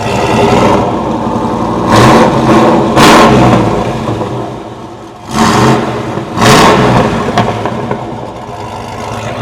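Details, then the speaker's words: 2007 Chevy Tahoe V8 with Whipple supercharger add-on: several sharp throttle blips rise and fall cleanly from a lumpy, choppy idle; revs pick up crisply, healthy. "And it's just got that chop. Listen to that chop. Freaking awesome."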